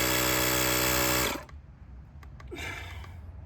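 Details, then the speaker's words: Gooloo A5 jump starter's built-in tire inflator pumping a truck tire from 30 toward 36 psi. A steady, strong buzzing drone from the small piston pump that stops after about a second: normal running. "You hear that thing? It's got some power to it, I'm telling you."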